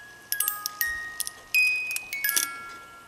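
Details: Music box of a 1980s one-day chalet cuckoo clock with dancers, after adjustment, on a desk as sounding board: bright clean plucked notes in a steady tune, no dragging, buzzing or missed notes; playing properly.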